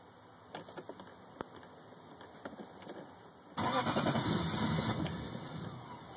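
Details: 1998 Lexus LS400 that bogged down and died on the highway, four days later; battery terminals cleaned, fuses and relay checked fine; scattered clicks and knocks, then steady cranking about a second and a half, never catching. Crank no start, cause not yet found.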